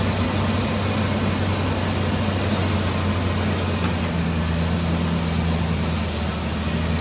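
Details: Ford 4.0 V6 after engine repair, third attempt after reconnecting coil pack wire, not yet at temperature: steady, even low idle with no misses, knocks or ticks; normal idle.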